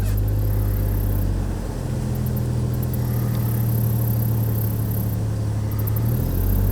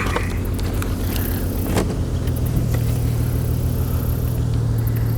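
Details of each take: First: 2002 Chevrolet Trailblazer after cylinder 3 misfire, fixed by swapping the coil: petrol engine idles with a steady even low hum, no stumble, no check engine light, zero misfires. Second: 2002 Chevy Trailblazer with a cylinder 3 misfire code, idling with a low, uneven rumble that stumbles now and then. It revs up fine; a disconnected coil is suspected.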